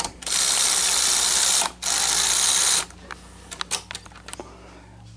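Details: Sony SL-HF500 Betamax VCR after regulator replacement, loading a tape: loud whir of the loading motor for a few seconds, then clicks and clatter as the tape seats; loading works, though a servo problem appears on play.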